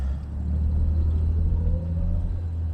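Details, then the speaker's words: Jaguar XJ6 daily driver on its first drive of the year, after earlier intermittent misfiring (owner suspects moisture in new fuel), pulling away from a stop: smooth, low, steady engine hum with no stumbles or jerks, running cleanly. "I mean yes this thing does just need a long long run but it's running really nicely right now"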